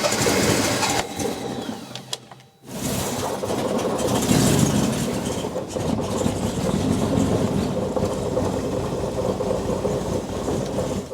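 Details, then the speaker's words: Steadman TS-100 with Jaguar XJ6 Series III 4.2-litre engine, SU carbs, started after sitting: cranks, catches, settles into uneven lumpy idle as if on three cylinders; misfire, needing timing, plugs and carb adjustment. "as you probably noticed the engine wasn't running too well it almost sounded like it was running on three cylinders"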